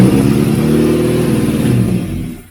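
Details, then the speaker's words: 1989 Austin Mini Designer, 998cc A-series, first start in about three years, choke on, out of gear: loud raspy burble that runs briefly then dies, loud because only half the exhaust is fitted. Loud exhaust from incomplete exhaust system. "uh it's only got half an exhaust on it that's why it's so loud"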